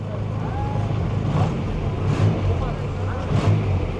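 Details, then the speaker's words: Audi (year given as "190") with a recently rebuilt engine. A steady, even low rumble at idle with no knocks or misses; judged smooth and healthy. "Әдем сылдап, сыңсып жұмыс істеп тұр ғой. Бур жоқ екен, брат."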